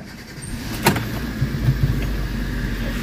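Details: Hyundai Getz after replacing cracked front engine mounting bracket that caused strong vibration: engine catches with a short burst, then settles into a low, steady, fairly quiet idle with no shake or knock; normal.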